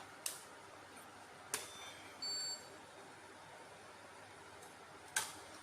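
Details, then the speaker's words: Hi8/mini DV Handycam playing a 1993 cassette that is dirty (error C3123 shown): mechanism clicks, then a brief shrill squeal from the dirty tape; the owner says the head may also be at fault. "Rekamannya kotor, kawan-kawan. Bunyinya melengking seperti sebelumnya, kan? Jika pita kasetnya bersih, maka akan berjalan lancar dan tidak ada masalah."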